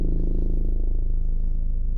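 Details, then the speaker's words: 2015 Ford Mondeo MK5 estate at idle, heard in the cabin rear passenger side with carpet lifted: deep, steady drone with fast low buzz; fuel pipes came loose from their underbody bracket and vibrate near the tank. "so you can hear that humming is a like a vibrating sound"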